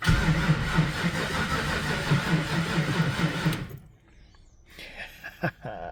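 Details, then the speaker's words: Ford Falcon XD 351 V8, carbureted, on old weak battery after pumping throttle: starter drags slowly about two and a half beats a second then quits without firing; slow cranking from low voltage. "Give her a couple pumps. Not many volts."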